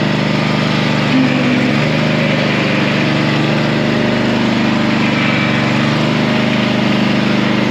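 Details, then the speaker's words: Honda mower after deck repair with sheet steel, sharpened blades and new clutch: constant, even engine hum at steady speed, no knocks, slipping or grinding; running as it should. "The blades have all been sharpened and a new clutch. And now the machine is working again as it should be."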